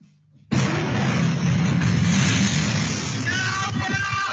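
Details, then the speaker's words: Flat in China where lithium-ion batteries go into thermal runaway: a violent blast followed by a sustained roaring rush with crackling and popping safety vents as the vented gas ignites. Thermal runaway explosion. "this is in China in a flat the East good air is batteries are going into thermal runaway and what you will hear is the popping of the safety vents"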